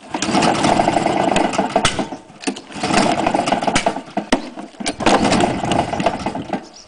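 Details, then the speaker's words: Honda mower engine run on white spirit: surges in uneven bursts with sharp knocks; crank bearing completely gone and timing chain two teeth out. "crank baring is completely gone hence the"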